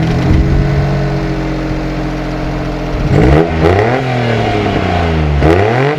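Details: Small Japanese car for sale in Japan with an unreliable odometer (reads 43,000 km, estimated around 120,000 km): engine catches and settles to a steady idle, then revs rise and fall cleanly with no knocks or rattles; sounds healthy.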